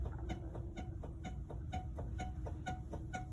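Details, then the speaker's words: 2012 GMC Yukon with about 160,000+ miles, right front wheel rocked by hand on a lift: quick repeated chirping squeaks and a visible, feelable clunk of wheel play from a worn wheel bearing/hub assembly. "hear that squeaking and you can actually see and feel the clunk of the wheel moving all right so what's causing that well this is a this is a wheel bearing slash hub assembly right here in the center that the wheel fastens to uh those things wear over time"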